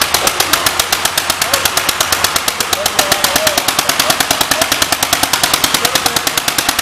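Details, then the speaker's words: 1938 Cooper-Stewart export Gravely single-cylinder at a 2025 Gravely blow-in: sharp, crisp exhaust pops at a steady fast beat, even spacing, no misses or knocking; runs healthy. "Sounds good. Very nice, gentlemen."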